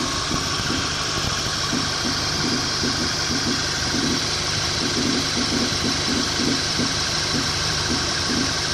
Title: Mk6 gti knocking noise